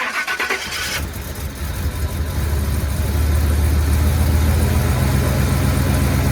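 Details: 1984 Chevy K5 Blazer with new crate 350 V8, before starter gap correction: cranks and catches, then a steady rapid clatter about four per second over the idle; flex plate contacting the starter, fixed by adding gap.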